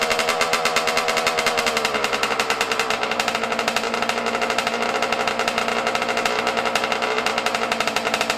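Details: Yamaha YZ125 two-stroke, cold at about 20 degrees outside, during carburetor air screw and idle adjustment: fast crackly buzz with fluttering, uneven revs and burbly misses; runs ragged and unsettled while idle and mixture are set.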